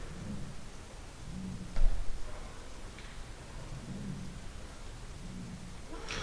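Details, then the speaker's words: Building foyer door with a strong, properly mounted closer under one year old: steady low rumble of wind pressure forcing through the open doorway, worsened by lift movement and a tunnel effect, with a brief thump; wind keeps the closer from latching. "The door closers are quite strong, and what I'm noticing is that the door closer is quite sufficiently mounted, sufficiently powered, but when you open the door, you can hear quite a lot of wind pressure"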